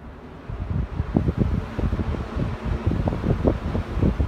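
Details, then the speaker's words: Mid-1970s EXL 7-bladed box fan, cleaned, oiled, switch replaced, on high: steady airy whoosh with gusty buffeting, no ticking or grinding; motor running smoothly. "low you how quiet it is I mean the the camera is 3 in away from the motor"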